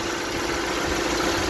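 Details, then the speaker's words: Lada Largus/Vesta engine at hot idle after oil change to thicker oil: smooth steady idle, lifters much quieter, no tapping; owner notes they start clicking if hotter, low hot oil pressure warning previously. "теперь на горячую работает вот так то есть намного тише компенсатор не стучит"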